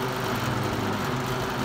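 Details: 1971 Galaxy Model 3700 12-inch two-speed box fan with tilting stand: steady rough whirring hum with a coarse low buzz on high speed, fan vibrating hard; excessive vibration on high.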